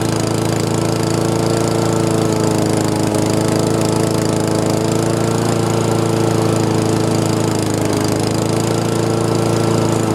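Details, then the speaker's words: Honda GCV160 lawn mower engine, warmed up, after carburetor cleaning and fixing oil overfill that had clogged the carb and soaked the air filter. Loud, steady single-cylinder drone with no surging or misses; normal running. "awesome sounds like it's starting to run smooth had to get it uh get it warmed up and uh get the fuel flowing but uh that's awesome"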